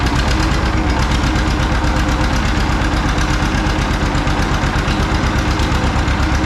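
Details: John Deere 530 old two-cylinder tractor idling in winter, not run since hay-wagon use after a no-start with a shot battery; slow, loud, even putt-putt around 170 beats a minute, deep thump: healthy normal idle.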